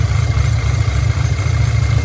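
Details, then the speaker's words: 2010 Audi A5 Quattro coupe, 6-speed manual, 2015 CPM engine swapped in for the original 2.0T CAE, 144,045 miles: low idle stumbling now and then with uneven exhaust puffs, misfire at idle blamed on a faulty mass airflow sensor still awaiting replacement. "you know for an engine that's misfiring because of a mass airflow it sounds pretty good it sounds pretty good it really does that little poppet and the exhaust"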